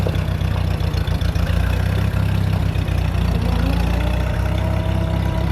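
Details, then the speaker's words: 1947 Chrysler revived after sitting: low, smooth, steady idle after a slightly rough first second, with no knocking or misfire. "It should uh just start at idle pretty good. Dangerous there. Sits down there. Nice."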